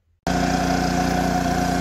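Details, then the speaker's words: 2006 Kipor KGE3000TI inverter generator, about a quarter tank of fuel, after a carburetor cleanout for a no-start: starts cleanly and settles into a smooth, steady hum with an even low pulse and no misses. The charging system works; runs healthy. "okay here we have it running it lives"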